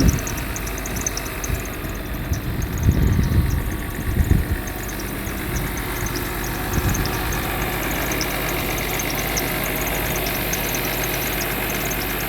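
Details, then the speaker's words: Mercedes W126 300SE with M103 3.0 L inline-six on a Voltarent conversion, idling at about 900 rpm after slight idle increase; steady, even low idle with faint fast tick, no misses or hunting; runs pretty well, normal idle. "You've got to love how calm that engine is. Wow. Running pretty well."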